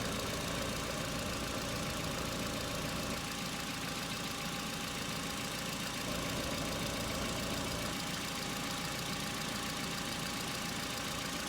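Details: Hyundai Accent petrol cold start at about -2 to -3°C, about three and a half minutes after start: steady even idle, hydraulic lifter tick has stopped; normal cold idle.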